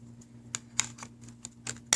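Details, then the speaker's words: PS3 Slim disc drive with its cover off that was not accepting games, laser reset up: irregular scratchy scrapes about three a second over a faint hum; a drive piece not pulled back and seated rubs the side. "set the laser there and the reason that it's scraping like that making that sound is this right here"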